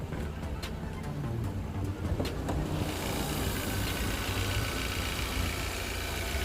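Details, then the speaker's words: 2011 Kia Optima 2.0T SX idling smoothly after timing chain and cam phaser replacement, a few hundred miles on, check engine lights gone; light even ticking is normal high-pressure fuel pump noise. "so that little bit of ticking noise you hear that's right here it's the high high pressure fuel pump they for some reason they all make that noise"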